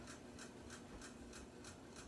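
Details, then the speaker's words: About 10-year-old 42-inch Aloha Breeze hugger ceiling fan on high speed: light, even clicks about three times a second over soft hum; fan also wobbles; owner suspects bearings but unsure of clicking source. "it does click - I don't know what the clicking noise is coming from probably the bearings but it could be wrong"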